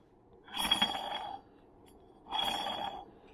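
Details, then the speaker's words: Yamaha clutch hub, turned by hand with the thrust plate missing: two short metallic scraping rings as the hub face rubs; the thrust plate keeps the hub from sitting deeper into the clutch. Finding: clutch hub rubbing from missing thrust plate. "you can hear it rubbing so that thrust plate is very very important it's the difference between that face rubbing and it being further into the clutch"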